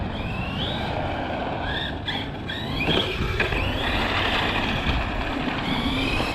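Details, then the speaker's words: Arrma Big Rock 6S RC truck street drifting on pavement, factory gearing, cold windy day, full trigger: high motor whine climbs in short bursts then fades over tyre scrub; speed control's low-voltage cutoff cutting power. "Oh, that's low voltage cut. You really suck up battery life on road. See, that's low voltage cut."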